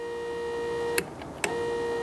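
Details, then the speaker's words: VW/Audi power seat height-adjust motor (front or rear) makes a steady mid-pitched hum, with short clicks between runs, but the seat does not move. A stripped plastic gear in the motor gear mechanism is the stated usual cause. "There are two possibilities, okay, either the motor doesn't do anything or the motor makes noise and it still doesn't do anything. That's the motor right here, listen now."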